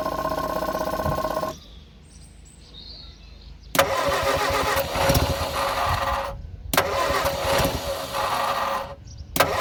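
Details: Abandoned Morris Minor, no throttle linkage, starting spray then a little petrol introduced: starter cranking with ragged bursts, engine catches briefly and dies, skipping on the starter motor; fires but won't keep running.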